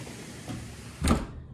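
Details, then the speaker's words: Thinline patio door installed about a year, dirty track: sliding panel gives a faint even rolling hush with one soft bump at stop; undamaged low-friction rollers glide freely without grinding, quiet healthy door. "You can really hear the rollers rolling, and that's why this is so quiet,"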